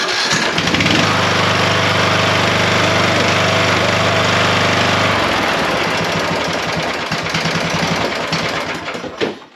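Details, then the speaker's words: Craftsman LT3000 mower, which had an intake valve that would not open or close: it catches almost at once and settles into a steady, even putter with no misses; normal start and idle. "it even idles that's what I'm talking about"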